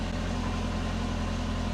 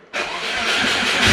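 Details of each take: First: Subaru with DIY turbo exhaust manifold and flex joint, after cleaning fouled plugs and re-enabling injectors: engine settles into steady even low idle, smooth rumble with some vibration, no obvious leak hiss or ticking; needs some tuning. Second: Turbo Subaru after a DIY exhaust manifold to up-pipe adaptor, started with the throttle held down a bit: a sharp raspy hiss and chuff over the exhaust note shows a big exhaust leak. The owner suspects the V-band, which was sanded flat and is not lined up properly.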